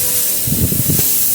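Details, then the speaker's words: Fiat 125 tyre with a screw puncture: a loud, steady high hiss of escaping air grows as the screw is pulled out, after soapy water first showed only small bubbles. "Ahí a medida que lo estoy retirando, cada vez se escucha más la pérdida. Al principio se veían las gotitas de buruja nada más, que formaban buruja nada más y ahora ya se puede escuchar el sonido claro de que es una pérdida, ¿no?"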